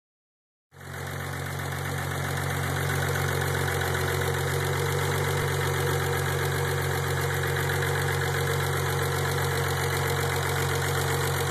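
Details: Warm engine idling steadily after 5–10 minutes of running, with a fast, fairly even tapping about four times a second over the engine hum; the noise appears only once warm, cause unknown.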